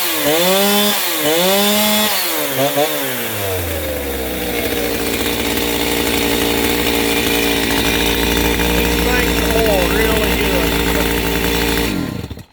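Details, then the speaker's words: Chainsaw after cleaned OEM carburettor with limiters removed and rebuild kit fitted, tuned slightly rich: a few crisp revs picking up and dropping cleanly, then steady high run without bogging or sputter; normal running. "But let me start this thing up and let you guys hear it. It is sounding pretty good now. I've got it tuned a little fat still yet."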